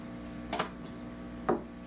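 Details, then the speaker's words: 1950s Telefunken Concertino 7 radio (FM/AM/shortwave/longwave), on shortwave with a noticeable mains hum; two sharp scratchy ticks about a second apart as the knob turns, the control itself making the noise: noisy tuning knob. "just the knob itself is making the noise"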